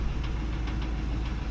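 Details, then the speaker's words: Owner's only truck at idle: steady low idle with a light, fairly regular ticking like a small drum tapping; source and cause unknown, owner worried. "Um, but listen to this sound my truck is making. Listen to this ticking. What is that little drum in it that it's doing? A drum beating."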